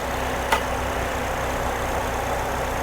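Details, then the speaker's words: Well-maintained Ecotec engine at idle during a blow-by check: steady, even hum under a light hiss, with no knocks or ticks; it runs good and quiet, with no blow-by found. "We got your little Ecotech. Runs good, it's quiet."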